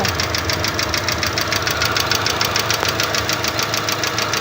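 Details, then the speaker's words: Engine at steady idle: fast, even metallic ticking and clatter from the valvetrain. Hydraulic lifters that lose oil, or mechanical tappets out of adjustment, knock like this. "como son hidráulicos a veces se descargan de aceite y comienzan a [Música] [Música] sonar también otros carros que no tienen balancines hidráulicos si no tienen punterías a veces están descalibradas y se escucha el golpeteo muy"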